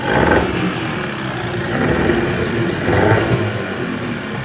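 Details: Boat outboard motor after repair, first start: running evenly, revving up twice and settling back without misses or knocks; sounds healthy and responsive.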